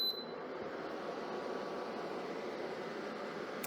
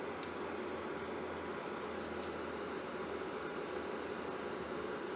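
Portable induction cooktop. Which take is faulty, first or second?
first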